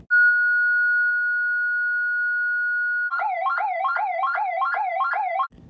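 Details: Ademco 702 electronic siren on low power (9 V battery): a thin steady tone, then a flat, weak, wobbly warble. Underpowered siren, not broken; it sounds much better at full power.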